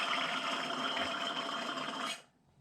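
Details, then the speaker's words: Mower deck blade spindle hub removed from deck, hand-spun: dry rasping whir coasting about two seconds before stopping; bearings are dry with some wobble and sound wrong, so the spindles are being rebuilt with new parts; dry spindle bearing. "of them - got some wobble in it ain't this one the one I already took a park got wobbly but they're dry and that's not how they're supposed to sound"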